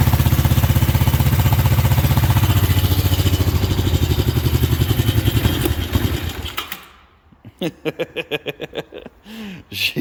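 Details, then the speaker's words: 1963 Honda CB77 305 Super Hawk twin, cold, first start: slow, lumpy, uneven chuff that falters and dies after about six seconds; one cylinder dead because a spark plug cap was disconnected. "definitely a rudder runner but i think something was living in this pipe we seem to be a one lunger right now as opposed to a twin"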